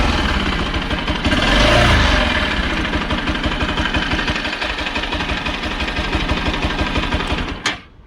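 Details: Bajaj Pulsar NS200 single-cylinder motorcycle at idle: a sharp, fast ticking noise riding on top of the engine beat.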